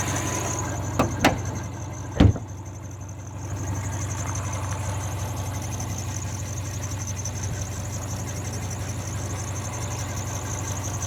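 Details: 2003 Subaru Forester idling/parked: thin, high, constant chirping squeak over the engine hum. Tightening the belts didn't fix it; cause unknown.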